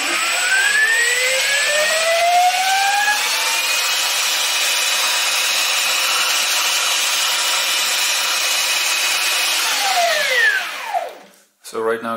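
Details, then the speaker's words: Stepper motor on a DM556 driver: a smooth whine climbs steadily to a high even pitch at about 1100 rpm, holds, then falls away as it slows; clean, normal running, likely with little torque at top speed. "saw this driver take this motor to 1100 rpm which is pretty impressive it probably didn't have much torque at that point but made it get there"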